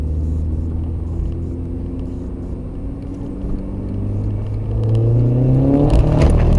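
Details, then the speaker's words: Seat Leon Cupra R, dash cam while driving: deep engine drone rises and turns harsh, ending in a loud rough clattering surge; sudden major engine failure, driver believes engine blown, cause unconfirmed. "Oh fuck it out. Jesus, that's blown it."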